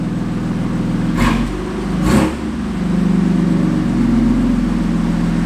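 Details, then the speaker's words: BMW M3 on the lift after repair: steady idle hum and two quick clean blips with no metallic rattle; the earlier rattle is fixed, engine sounds healthy. "we're fixed they were back in business no rattles"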